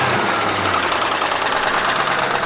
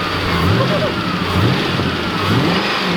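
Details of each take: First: 1997 Ford Mustang GT, 4.6 two-valve, 200k+ miles, run with almost no oil, then doughnuts; cold start near 15–18 degrees after topping up oil. Sharp, steady idle-timed knocking as oil pressure drops to nothing intermittently: rod bearing knock. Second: 1997 Ford Mustang GT, 4.6 L two-valve V8, 200k+ miles, after topping up oil it had nearly run out of; engine blips and drops back smoothly, silent, no knock or tap: normal idle and revving.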